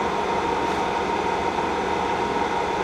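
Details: K&T milling machine's hydraulic pump running after startup at the lowest speed, oil flowing in the sight glass: steady, even, mid-pitched hum and whine with no knocks or surging. Healthy pump.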